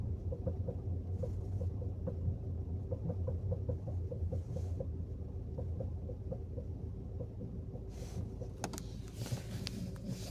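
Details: Peugeot rolling in neutral at minimal speed, e.g. approaching a traffic light, only on hot days: a light, regular knock of about five to six per second over the low drone; cause unknown.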